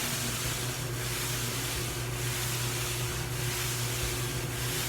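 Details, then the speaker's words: GE front-load dryer after repair kit (drive belt, upper bearing assembly, four drum glides) installed, running on no heat: steady drone with soft rubbing swish about once a second at the front drum glides; new rubbing noise. "you hear that rubbing this didn't happen before and it's and it's coming right here where these glides are"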